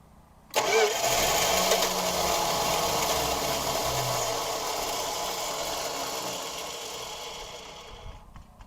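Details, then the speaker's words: 1969 Plymouth Fury III, 318 V8 automatic, off the road over ten years, start attempt without a fuel pump and still needing coolant: the engine catches sharply, runs a rough idle about seven seconds, then sags and stalls. "I know y'all heard her stay on for a little while let's try it again"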